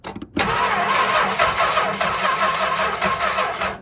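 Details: 1964 Chrysler Newport, sat 2.5 years, hot-wired to the ballast resistor with no key: steady even cranking with no firing, no spark seen; owner suspects a short inside the distributor or flooding; cranks but no start.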